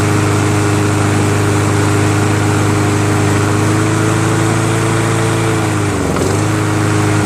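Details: Toro SR4 Super Recycler 20381 mower with a Chinese clone engine, carburetor cleaned: it runs steady and even at a fast idle, then dips briefly; it runs fine but restarts hard after shutdown; cause unconfirmed.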